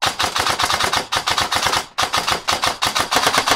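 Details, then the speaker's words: Airsoft AEG with T238 budget brushless motor, trigger pulled as fast as possible on semi-auto: crisp rapid shots about four per second, each snappy and even with no drag. Trigger response is healthy. "I'm gonna just go ahead and show you the trigger response with the budget brushless motor. I'm gonna pull the trigger as fast as I can so you guys make the best judgment you can."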